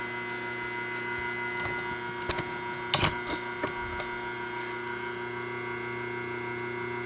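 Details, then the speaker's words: 1976 White-Westinghouse front-load washer motor Q174461 (3-belt), running on the bench: a steady hum with a few sharp, irregular metallic rattles. A loose spring is chattering against the frame. "chattering here is this piece of metal over here, which is a spring."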